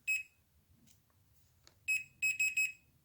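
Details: Industrial welding turntable with an overheated, cooked earth conductor in the motor cable: multimeter beeps sharply, pauses, then beeps quickly on the next test, showing the conductors shorted to earth; not yet known whether the fault is in the cable or the motor.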